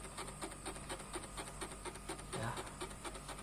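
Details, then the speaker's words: Two-door refrigerator that is not cooling, refrigerant circulation seemingly normal: soft, steady regular ticking over a quiet room hum from the defrost timer, showing it is active. "terdengar suara timer disini menandakan bahwa timer ini sedang aktif Nikita dengarkan suara timernya ini"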